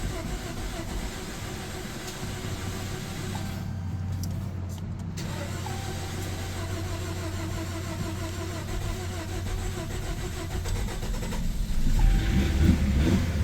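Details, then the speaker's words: 2015 Chrysler 200 parked over a year (suspected parasitic draw or starter issue), on an old battery: catches after a brief stumble, runs a little uneven, then settles into a steady low idle; likely old gas. "That sounds good. Yeah. Starting to smooth out. Probably some old gas. Yeah. That's probably why it's being a little funky."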